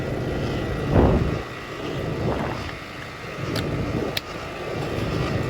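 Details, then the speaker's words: Home HVAC system compressor running during a service call. A steady low rumble with a rough, uneven drone and occasional surges. Technician finds the compressor noise abnormal. "I wonder what's up with that compressor and I wonder if the compressor noise has anything to do you hear it right"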